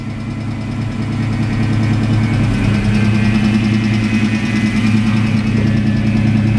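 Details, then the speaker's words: 1989 Ford Mustang LX notchback 5.0 V8 with AOD automatic, Trick Flow cam and longtube headers, first ride: steady low whine that sets in partway and holds even; likely low power steering fluid or a failing power steering pump. "Sounds like it needs some power steering fluid for sure. Or a power steering pump, one of the two."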